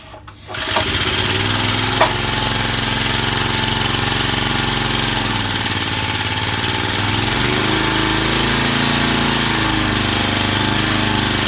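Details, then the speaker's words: Vintage Cooper Klipper reel mower with an old points-ignition flathead Briggs, started on choke after WD-40 was sprayed into the carburetor throat. It fires and settles into a smooth, even putter with no misses or surging; running healthy. "not bad what can i say you cannot beat these old flathead briggs as i don't care what you say"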